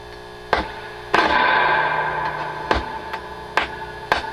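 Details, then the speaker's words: Dr Z Maz 38 Senior amp with a reverb that feeds back at higher levels: each tap on the chassis sets off crackling, ringing bursts over a steady hum; board microphonic, with a suspected poor ground connection; replacing a resistor did not fix it. "there sure are a lot of noisy places in this thing that that's a ground connection about you but it seems like it's not great as well"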